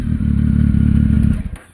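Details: Triumph Tiger after the sealed-in baffle was removed from its Arrow exhaust: deep, loud, rapid exhaust pulses rising on the rev and falling away; open, unbaffled exhaust.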